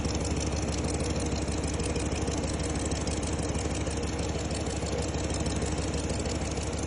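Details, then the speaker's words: RAM Hemi V8 at idle: loud, sharp ticking, about three per second, from the driver's side. The cause was a cracked driver-side downpipe to the catalytic converter leaking exhaust. "Customer complaint loud ticking noise from the driver's side."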